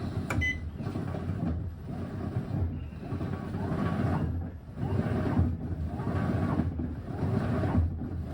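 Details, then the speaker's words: GE top-load washer after motor replacement, diagnostic mode load test: fast agitate with short even back-and-forth surges about once a second, quiet motor hum and water swish, no grinding; normal. "a fast agitate"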